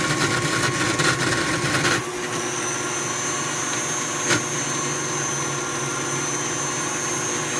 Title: KitchenAid artisan stand mixer grinding noise